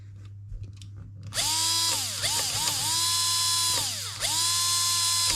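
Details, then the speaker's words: JG Sig 552 airsoft AEG motor run alone, outside the gearbox, on a 7.4 V LiPo: high clean whine spinning up, holding steady and winding down with no rattle or grinding. Motor healthy. Gear screech suspected from bevel gear height or poor shimming. "I wouldn't say there's any unnecessary noise from that as an individual part"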